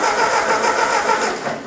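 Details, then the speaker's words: Ford 8N tractor after 12-volt conversion, original 6-volt starter, in neutral, cranked via button: brisk, even starter whirr turning the engine fast and steadily without firing; strong, healthy cranking, never cranked like this before. "wow that's never cranked over like that before that is sweet"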